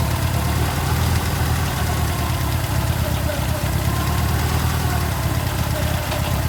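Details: Ford Escort RS Turbo, forged 1.6 CVH, big-valve ported head, Kent 35 cam, Cosworth L8 ECU, green injectors, after engine bay loom rewiring and start-up: steady even low rumble idling smoothly, no misses or knocks; sounds healthy.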